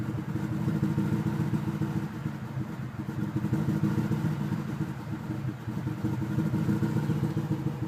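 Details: Warm engine idling rough, rising and sagging unevenly with a lumpy beat; revs to about 1700 on first start, rough once warm; owner suspects coolant bubbles or the idle air control valve.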